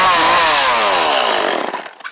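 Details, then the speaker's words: Echo CS-400 chainsaw after carburetor replacement, with the high-speed screw set a quarter turn clockwise from its original setting. It screams at a high, steady pitch with no bogging, then winds down smoothly off throttle; carburetion sounds right. "that sounds good guys we're going to leave it there and adjust it in the future if needed"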